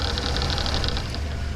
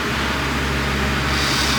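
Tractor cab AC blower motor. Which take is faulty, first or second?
first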